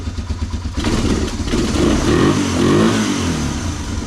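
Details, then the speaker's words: 1985 Honda ATC 250ES Big Red three-wheeler, barn-stored for years, spark plug cleaned and reused, first run: single cylinder barks evenly, revs up and down smoothly, no knocks or misses; good compression, normal running. "Look like it's got pretty good compression. That is awesome."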